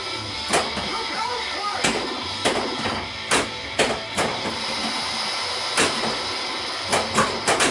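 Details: Pinball machine after correcting self-test setting 18 to three, which fixed a horrible speaker noise: sharp, irregular playfield clacks and thumps over clean game audio, no harsh buzz; normal game sounds.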